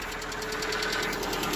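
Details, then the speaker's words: Lada Vesta cold start, oil at mid-dipstick after topping up about a litre, roughly 9,000 km on this oil: fast light even ticking at idle, owner suspects hydraulic lash adjusters, stopping as it warms; piston noise also suspected. "но это компенсаторы шумят сейчас ну вот они перестали шуметь"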